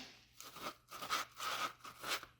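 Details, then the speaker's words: Mazda 3 front strut top mount bearing, removed from the disassembled strut and turned by hand: rough gritty crunching in uneven strokes, binding; installed it caused a spring crackle when turning; worn bearing, replaced with new mount and bearing. "Чува се отвратително и доста запънато работи. Когато беше на мястото си, при въртене се чува едно припукване на пружината."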